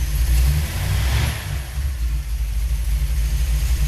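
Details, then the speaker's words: V8 with a freshly rebuilt Holley 4150 double-pumper carburetor (4.5 power valve) being tuned, not in gear: after a rev blip the idle, raised from about 600 rpm, settles steady and even with no stumble; normal idle that sounds much better. "I'm going to turn the idle up a little bit. I'm surprised it idled at all at that level. Okay, you see I'm up to 6. And it's sounding a lot better."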